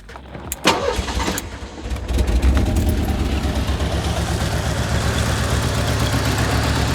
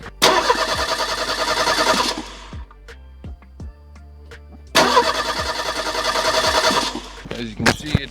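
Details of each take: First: 1985 Merkur XR4Ti, first run after a broken inertia switch was found that kept the fuel pump from running: it cranks, catches and settles into an uneven, lumpy, wavering idle; rough idle, cause not yet found. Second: 1985 Merkur XR4Ti, first crank since purchase after the dead battery (about 0.08 V) was replaced with a new one: two strong bursts of quick, even starter cranking, spinning freely at healthy speed without catching; normal cranking.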